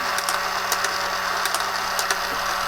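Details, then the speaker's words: Tomy Super Cup electric football game after repair, cleaning and regreasing: steady buzzing motor with busy rattling clatter and sharp clicks as the corner flippers flick up and down; running normally. "turn it on this thing makes a racket [Applause] the clicking you can hear are the little corners that flick up and down when the ball goes in the corner"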